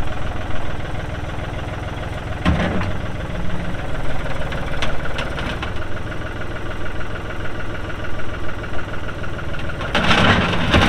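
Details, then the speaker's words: 1999 New Holland TN65S 4WD diesel tractor, 8-speed hydraulic shuttle, NH 33LA loader, 4,162 hours: steady low diesel rumble at idle with a couple of brief throttle blips, runs evenly, no knocks or misses; engine sounds good — normal idle and running. "Hydraulics are strong engine sounds good all right like I said it's a 99 model TN 65s"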